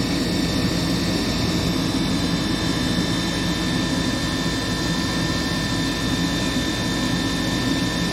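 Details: Furnace that was in lockout from a frozen inducer motor, freed by hand-spinning, cycling to igniter; filter dirty: constant roaring airflow with a steady high thin whine on top from the wearing inducer motor, which needs replacing.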